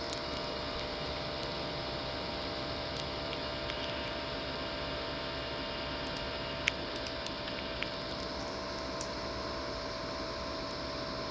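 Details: Laptop CPU fan with a worn bearing: steady whirring hum with a few fixed tones and a faint buzz that never changes speed.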